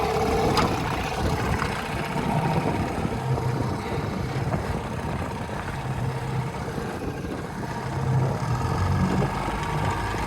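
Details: 1956 Johnson 7.5hp AD-10 outboard pushing a 14-foot deep-V Sylvan boat in gear at about 8-10 mph: steady buzzing note under load over water and wind, no stumbling or skipping; very good running, quiet, reliable motor.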